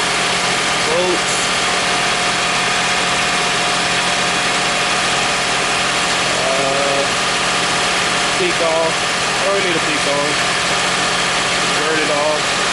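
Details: 2001 Toyota Sienna idling after the bad starter was fixed: even, steady smooth hum with no stumble, miss or knocking, birds faintly chirping; normal idle.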